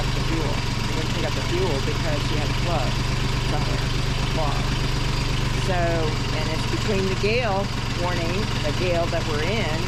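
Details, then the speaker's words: Sailboat diesel at idle with air still bleeding from the fuel line: steady low chug with even firing, slight unevenness, but keeps running. "I did get my engine going. It took me from Monday, Tuesday, Wednesday, today, to figure out the problem, get it fixed. Hopefully it's fixed."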